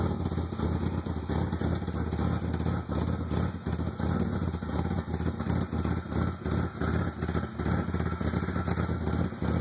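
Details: 1995 Ford Probe GT with a lumpy, uneven idle of about three irregular beats a second. Plugs were replaced but not the wires. It ran rough after emissions repair and replacement of the exhaust manifolds and rear exhaust. Cause unknown.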